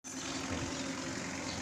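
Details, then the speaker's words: Mitsubishi Pajero Sport Dakar diesel idling with an uneven, stumbling low beat: a misfire from injectors number 2 and 4, to be serviced. "Hai Pajero Sport Hai Deni keluarnya mobilnya pincang setelah dilihat-lihat eh nggak tahunya injectornya nomor 2 sama empat itu misfile"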